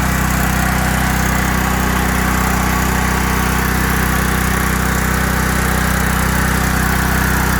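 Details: 5000-watt Briggs and Stratton generator with five hours run-time, after a no-start repair: stuck choke freed, Huayi carb cleaned, gummed float needle valve cleaned and its spring replaced. Steady, even engine drone with a smooth constant beat, no surging or misfire; normal running.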